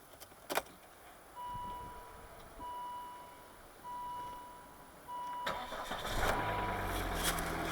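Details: 2006 Volvo V50 D5, 180hp 2.4 L five-cylinder diesel, 5-speed Aisin AW55 automatic, cold start at 5 degrees: four dashboard chimes, quick crank, catches promptly and settles to steady idle; possible slight ticking and exhaust leak suspected.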